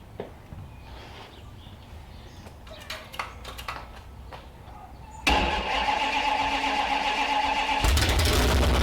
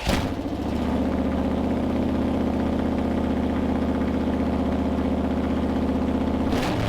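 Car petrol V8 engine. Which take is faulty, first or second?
first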